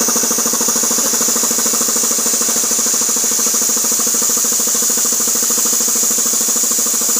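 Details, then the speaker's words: 50+ year old vintage Tecalemit compressor pump on a small tank: fast, even pumping beat around three strokes a second with a steady hiss; a bang is just the release valve; runs perfectly. "okay so yeah it works perfectly on that noise that bang was just release valve because the compressor is so small the tank is so small"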